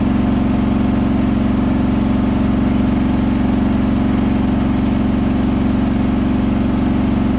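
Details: Hotpoint washing machine on a 1400rpm final spin: a single rolling bath sheet fooled the balancing, then was thrown to one side on ramp-up, leaving the drum badly unbalanced; heavy steady drone with a regular throb about four per second.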